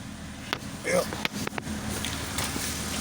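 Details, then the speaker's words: 2006 BMW 530i idling after the cylinder 5 ignition coil was replaced for a P0305 misfire code: even, steady idle with no stumble or shake under outside noise, running smoothly on all cylinders and no longer hesitating. "running smooth now yeah that's one of the quick ones"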